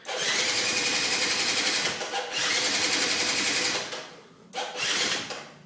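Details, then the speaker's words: 2004 Yamaha Zuma scooter that sat outside uncovered, after new battery, spark plug, drained old fuel and partly cleaned carb: fast, even cranking bursts, three to four beats a second, never catching; cranks but won't start. "it's turning better than it was but it's not doing what it should be"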